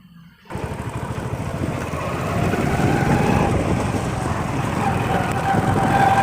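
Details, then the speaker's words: Hero Splendor Plus motorcycle riding on the road: faint high whine over the engine from a worn primary drive gear. "आपको पता होना चाहिए अगर ऐसी आवाज़ ए रही है तो आपका प्राइमरी के खराब है"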